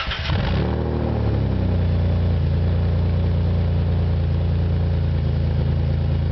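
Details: 1997 supercharged Nissan Maxima: engine starts and settles into a loud, raspy, puffing exhaust note at idle from an exhaust leak that developed after the catalytic converter.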